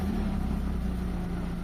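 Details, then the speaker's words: Mitsubishi Lancer 4G15 engine that had a hunting, too-high stock 1500 rpm idle, after idle calibration: low, even, steady hum without surging or dropping; engine now quiet and idle fixed. "So ayan, okay na yung idle natin mga boss. Tahimik na yung makina. Wala na yung dropping."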